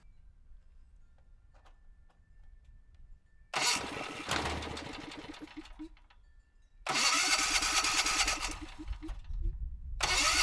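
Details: Generac XG8000e generator, 407cc GH410 engine (0K5107) with clone carburetor, after AVR swap: catches after silence, runs ragged with surging and dropouts; running lean and hard to start, smoother with partial choke, carb needs rework.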